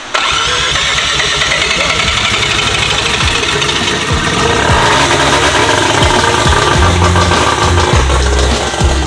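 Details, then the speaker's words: Rotary engine just restarted after fuel pump trouble, throttle held open: choppy lumpy idle partly under music, sounding healthy. "it sounds sick dude that sounds so good Lumpy"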